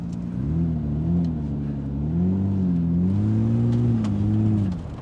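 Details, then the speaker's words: Jaguar XJ6 suspension donor, engine cutting out when thrown hard into a corner: revs rise and fall unevenly, sag and surge, then the note drops away. Lucas electrics are suspected. "See, you throw it hard into a corner like that, it cuts out. Whoa. Yep. Cuts out."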